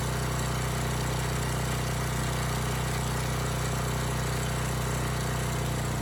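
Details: Abandoned Powermate generator, no AVR, running without load: steady even low drone, no hunting or misses; output adjusted from about 135 V to 130 V, normal no-load idle.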